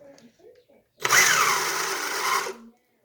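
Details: Homemade RC rally car running two 5800 mAh LiPos in parallel, original motor reconnected to the ESC after a crash to test it: short even high-pitched motor whir, steady without cutting out; ESC and motor still good.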